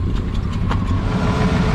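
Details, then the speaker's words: 1976 AMC Gremlin, off the road 32 years, started with a replacement radiator fitted to cycle coolant: short stretch of steady, even low idle with no knocks or misses; the old engine runs cleanly. "oh it's running"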